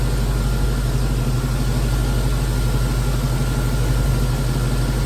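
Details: V8 after heater hose and cooling system work, radiator not topped off: deep, even rumble holding steady with no knocks, ticks or hunting while testing the custom heater; healthy smooth idle.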